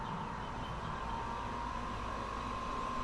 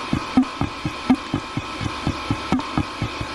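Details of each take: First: Diesel heater after strip-down and cleaning for fuel in the air inlet, new gaskets and gauze filter: steady whir of the fan spinning down with a faint even whine, no rattles; normal shutdown. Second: Diesel heater run on diesel mixed with filtered used engine oil, heard at shutdown: irregular wet glugging pulses about eighty a minute over a steady fan hum. Fuel was found in the air inlet; owner suspects flooded combustion chamber, or condensation.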